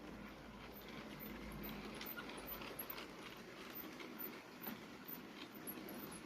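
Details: Faint high squeak repeating roughly three times a second over rolling rail noise; source unknown, possibly the tender.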